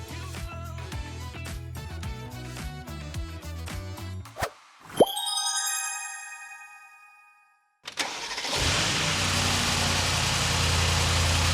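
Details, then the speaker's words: 2018 Mercedes-Benz S63 AMG V8, 95,000 km, warm idle after replacing the oil separator, whose intake leak caused a vacuum-cleaner/whistle noise: brief high flare, then quiet, even idle with the vacuum sound gone, normal engine sound. "테스트 아이들이 끝나고 RPM이 안정화가 됐을 때 굉장히 조용한 소리를 지금 내고 있어요. 아까 진공청소기와 같은 소리는 다 싹 사라지고 이제 정상적인 엔진 소리를 표출하고 있고 엔진 소리가 아주 좋은 상태를 유지하고 있습니다."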